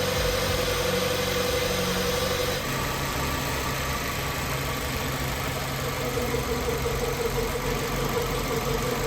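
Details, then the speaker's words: 2005 Kia Spectra 2.0L after replacing the timing belt, water pump and drive belts: it starts right up and settles into a steady idle with no knock or misfire; normal idle. "Started right up and it's running pretty good."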